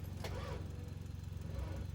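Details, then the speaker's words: Ford Mustang SN95 with fuel delivery problems and hesitant starting: slow sluggish uneven cranking that never catches; dead battery can't spin the engine. "okay that's a dead battery give me a second guys attempt number two"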